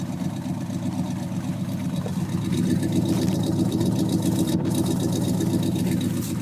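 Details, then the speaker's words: 1950 Plymouth Deluxe four-door with a 350 V8, on a cold day: it starts on the first click and holds a steady, even V8 burble at idle with no knocks or misses; running smooth and healthy. "pretty awesome that it starts up just on the first click"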